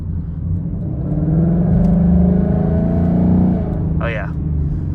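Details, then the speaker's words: 2019 Mustang GT with Corsa Xtreme active catback exhaust, after warranty repair of flapping valves that hissed; cruising in normal mode gives a smooth, even V8 drone with no hiss, flutter or rattle, normal exhaust sound. "the normal mode is finally fixed uh no hissing sound whatsoever so I'm glad the tips are working as the ended"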